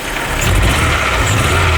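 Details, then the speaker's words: Crashed, abandoned MK3 Golf GTI first start, radiator broken so no coolant in it: revving with uneven stumbling note and irregular exhaust pulses, no big knocks or bangs; engine misfire. "Misfire him. There's no big knocks or bangs or anything though, is there?"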